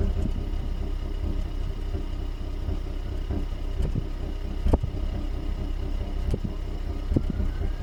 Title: Hyundai Ioniq Hybrid Engine Vibration and Misfire Sound